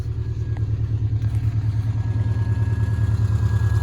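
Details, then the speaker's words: Subaru Baja idling in neutral, clutch depressed, rusty stock exhaust with new rear muffler, louder at front than behind car; loud deep rumble with steady chugging about three per second, check engine light on, cylinder 4 misfire stated — loud rough exhaust at idle. "And the rust is on the exhaust, as you shall now hear."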